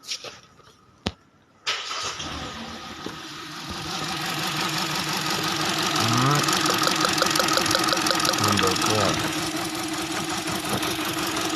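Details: Car with the engine light on fires after a pause and idles with an uneven, pulsing beat, about three a second. Rough idle, cause unconfirmed.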